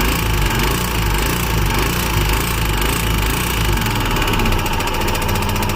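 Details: Royal Enfield Himalayan BS6 single at idle: rapid, hard ticking knock over the low thump; abnormal engine noise, cause unknown.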